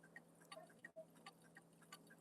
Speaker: Still out of beat. Let's try a little bit. Come on. Oh, now it's too far that way. Jesus. Yeah, it's making a lot of noises as it's ticking.